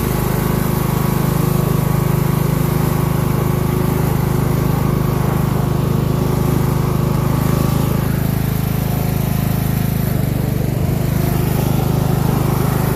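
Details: Craftsman LT1000 mud mower build, single-cylinder engine running steady with no surging but slow: owner believes it is well below its rated speed of about 3,500 rpm, running around 2,000–2,500 rpm; not smoking, burning off oil and probably water.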